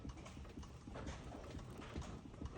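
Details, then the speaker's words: 1998 Toyota Celsior (JDM Lexus LS), front suspension rocked by hand: dull regular clicks about twice a second from a worn suspension joint with slight movement, not severe. "coming from this joint here. You can hear it clicking. So it's not that bad, but it's a slightly movement."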